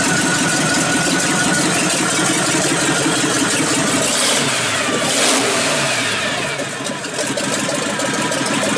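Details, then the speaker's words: 1951 Ford truck with swapped engine, first start after install; fires and settles to steady even run with some revving, no knocks; smoke is paint burning off exhaust manifolds; fuel pressure gauge dropped to zero, alternator belt lost; sounds good. "w well there you go that little bit of smoke you're seeing is just the paint burning off of the uh exhaust manifolds uh it sounds good"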